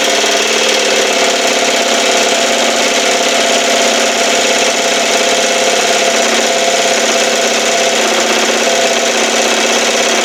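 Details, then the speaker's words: 1968 Evinrude 6 HP two-stroke outboard, running: loud buzzy note whose pitch wanders instead of holding, even on high speed. The throttle linkage has excessive play and drops back to the stop, so engine speed won't stay steady until it is fixed. "see shoots all the way over here that is no good look at it look at it that's how much play is in this one this needs to come out and be fixed before really do anything with it"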